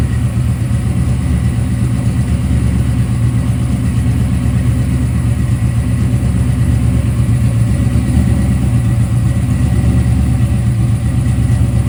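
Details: Freshly assembled 1995 LT1-based ERE-383 stroker V8 (Eagle forged crank, 5.85" rods, Holley Terminator X) idling on an engine run stand. Deep, steady, even low rumble with no knocks or ticks; normal idle. A water pump gasket leak was spotted afterward.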